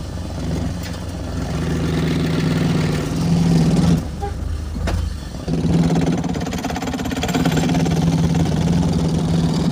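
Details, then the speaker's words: BMW Z3 petrol engine long sat: runs unevenly, note wavering and stumbling with a dip and catch midway; misfire, owner suspects plug/coil issue. "I'm seeing the plug issue the coil issue yes that is what I'm seeing right now"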